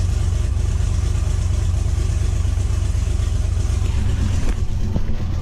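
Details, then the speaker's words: Duramax-swapped car idling at about 1,000 rpm with a deep, uneven lope and a stumble roughly every second, engine shaking, vacuum low; owner suspects a misfire, cause undiagnosed. "It does have, like I said, it sounds like a misfire. Maybe you guys can help me diagnose it a little bit, because I'm running out of ideas here."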